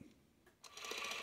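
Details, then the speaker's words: Spring-wound Ciné-Kodak 16mm movie camera (Model B) after being cranked up: a click, then a rather loud, light, even whirring chatter that holds steady; the spring drive is running normally. "yeah there we go rather loud this is the cine codec Model E and it's got a key to wind it right"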